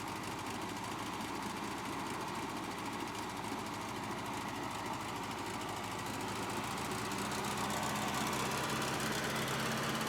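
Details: Cheap, hard-run Bobcat 610 skid steer with Wisconsin four-cylinder gas engine, said to crank every time and run good: steady, even idle beat around four per second, rising slightly toward the end; normal idle.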